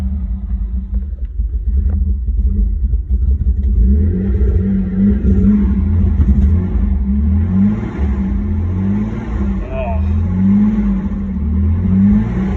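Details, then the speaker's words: Nissan Skyline R31 started after sitting a long time: lumpy, uneven idle sagging between light throttle blips and nearly stalling, no exhaust tip; rough-running engine. "give her a few baby roses clean those cobwebs out it does not sound healthy oh god i need to fix this oh she's dying on us again"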